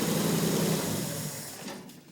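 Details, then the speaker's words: Triumph GT6 restart after one of its two carburetors, which wasn't working, had the float bowl and jet cleaned and the needle adjusted: a fast, even beat with no misses or stumbles; a clean, normal idle. "oh yeah there it is that's it NE oh yeah that's what it's supposed to sound"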